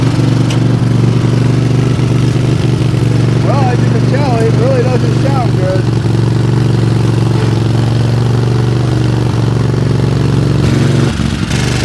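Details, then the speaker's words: Craftsman GT tractor, 20 hp Kohler, that stalls and lacks power under load, idling with no load: an uneven, loping beat that stumbles like one cylinder dropping out. Suspected misfire from a spark or compression problem, possibly loose valves. "It sure sounds like we got a miss in one of the cylinders here. Oh, if this was a car, it wouldn't sound bad."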